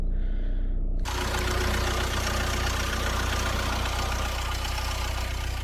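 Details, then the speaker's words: Wrecked Audi A6 S-line after intercooler and crash bar replacement, jump-started from a dead battery: engine catches and settles into a steady, even idle with no knocks or misses, though warning lights including engine management stay on. "right little jump start and she runs fine"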